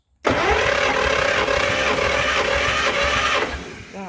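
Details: 1954 Chevy saved from the scrapyard, engine a little tight, throttle plates stuck closed, cranking on cylinder one during a compression test. The starter cranks steadily for about three seconds with an even beat and constant whine; strong compression of about 138 psi.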